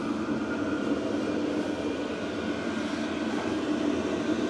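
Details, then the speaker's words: VEVOR 8kW diesel heater after a full service for smoke and carbon build-up, drawing about 257 W: a steady, even burner and fan roar with no sputter or knock while heating up. Normal running. "So, fuel's pumping in. Everything is running."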